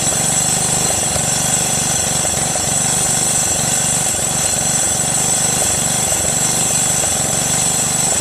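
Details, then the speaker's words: Craftsman LT1500 lawn tractor repowered with a 12.5HP Briggs single-cylinder engine, crankcase full of oil: steady running with a rattle about four times a second from a belt guide keeper touching something. "how about that man that sound was one of the keepers that guides touching the thing"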